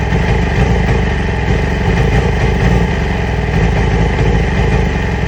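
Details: 2008 Yamaha R6 motorcycle: loud, low idle that stumbles and never settles into an even beat; rough idle, cause not confirmed, new ignition coils and spark plugs ordered.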